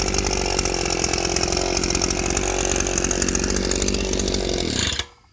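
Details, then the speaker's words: Southland tiller, a trash find revived with a sealed fuel tank and adjusted to its power band: small single-cylinder engine holds a high, busy buzz at steady speed, then cuts off cleanly; normal, well-tuned running. "Got it adjusted there in the end where it just hitting its power band. You can hear it running. It runs like I remember my last one."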